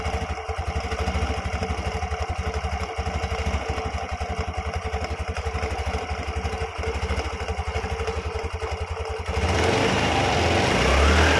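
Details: Carbureted Yamaha Xeon scooter after a CVT repair: a noisy "jing-jing" from the drive was traced to a loose part. It now revs steadily with an even pulse and no rattle or grinding from the open drive.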